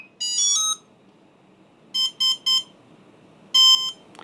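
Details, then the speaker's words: Drone ESC on a motor test tool, powered on with the knob turned fully counterclockwise: short rising musical tones, then three quick beeps and a longer pair; this is the normal startup tune, after which throttle can be raised slowly. "Only when you hear the startup music is normal when it's all over. then you can slowly accelerate."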